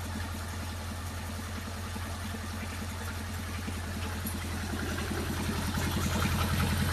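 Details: Miller Big 20 welder engine under repair, new spark plugs and points fitted: steady, even low thrum at idle with no misses or knocks, though idle is way too high (spec 1200 rpm, 1800 when welding); runs normally otherwise.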